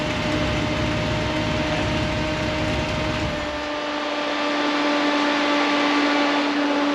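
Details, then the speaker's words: 1963 Dodge Sweptline Crew Cab engine just after cam break-in: steady, even engine note with a clean constant hum and no knocks or misses; sounds like a decent, healthy motor. "it's 10 o'clock and we just broke in a cam but needed to be done so I'm pretty happy with it sounds like it'll be a decent motor"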